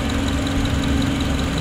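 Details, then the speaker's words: Honda CR-V gen 2 after timing chain, tensioner and damper were checked for a klotok/trektek rattle: steady, even, calm idle with no rattle or clatter from the timing end while warming up waiting for the fan; sounds healthy, normal idle. "di sini udah hidup ya hidup bunyinya juga enak ya nggak ada apa ya nggak ada suara aneh-aneh ya"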